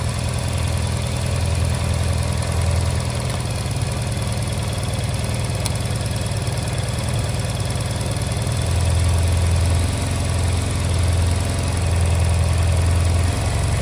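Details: Honda Silver Wing twin scooter after new spark plugs were fitted for a no-start, around idle and synchronisation adjustment; steady, low, even idle throughout with no misses or knocks — normal idle.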